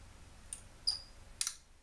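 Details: LG 32-inch plasma TV with no picture and no sound: three sharp dry clicks within two seconds, the relay cycling repeatedly; fault traced to the Y-sustain board.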